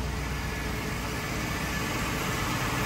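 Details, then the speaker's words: 1959 Cadillac truck V8 after sitting a long time, electric fuel pump wired temporarily, in park: steady, even idle with a smooth low burble, no misses or knocks, no smoke, temperature fine; running cleanly. "you hear that that's unbelievable look how good this thing runs"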